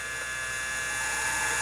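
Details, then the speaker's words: Original Convergent AWS CM5616 MFM hard drive (256 cylinders, 6 heads) in AWS Turbo 200/266, matched controller and CPU, spinning up with a steady high-pitched whine and mechanical chatter underneath; sounds unhealthy, cause unknown, yet it then boots CTOS. "yeah that really doesn't sound good let's see if it boots"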